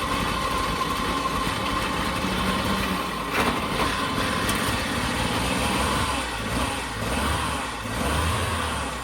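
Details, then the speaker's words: 1940 Dodge VFA32 winch truck, 85 years old, first start, with a major radiator leak found: steady, low burble at an even pace with no knocks or misses; idling cleanly. Normal idle. "Holy It's a runner. It is a runner."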